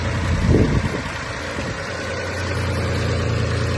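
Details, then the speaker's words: Mitsubishi 3000GT idling after AC compressor and line replacement: steady low even hum, no loud grinding anymore, no leaks, AC ice cold, no smoke; normal idle after repair. "The new AC compressor, the new line, nothing's leaking and it's ice cold and it doesn't make a loud grinding noise anymore. As you can hear, no loud noises."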